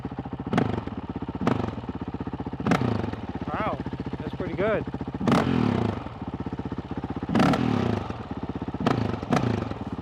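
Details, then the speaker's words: Honda CRF450RL with the Taipan AiM ECU just installed: crisp throttle blips about once a second drop back to an even, steady single-cylinder idle, more stable than with the Vortex ECU. "wow all right that's uh I don't know if you can hear it over the motor that's a little more even that's even a little more stable than the vortex was"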